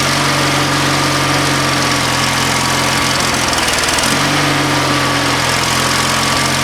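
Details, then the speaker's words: Used lawnmower engine fitted to an old Ariens walk-behind, first start at about half throttle and full choke: small single-cylinder engine pops and runs at a steady, even pace with a brief rise and settle; runs normally. "Oh, we got a pop. It ran good. That sounded really good. Excellent."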